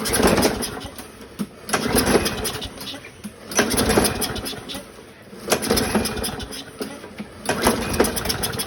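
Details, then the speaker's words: 2009 Craftsman 917.376401 self-propelled mower, Briggs 6.75, leaking gas, no air filter, run on carb spray: ragged bursts of firing about every two seconds that sputter out each time; needs a carb rebuild. Rough start from fuel system fault. "well that got it going a little bit it needs some work"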